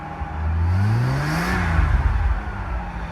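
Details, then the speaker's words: R31 Nissan Skyline wagon, first start after a home turbo install, with a bad exhaust leak. Engine blip brings a rising turbo whir that climbs with revs and fades, turbo spooling as it should. "Let's see if we have any boost. It's a negative vacuum at the end. Ooh, that sounds like a turbo."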